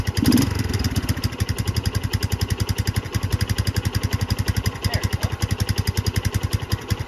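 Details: Barn-find 2005 Suzuki GZ250, 950 miles, just restarted after fuel problem: single cylinder thumping at a steady, slightly uneven idle with soft, lazy exhaust note; rich mixture at idle, no visible adjustment screw.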